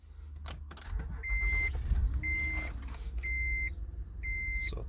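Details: Honda Odyssey after fixing a no-start/no-crank fault where a fuse kept blowing, traced to the horn: door chimes over a quiet engine that catches and settles into a soft, even idle; normal start and idle.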